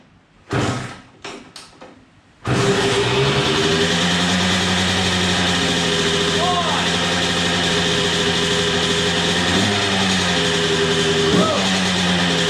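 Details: Suzuki RM125 two-stroke first start after full bike and engine rebuild, new spark plug fitted, smoky: a few kicks, then it catches and holds a steady crisp ring-ding idle with odd blips. Normal idle.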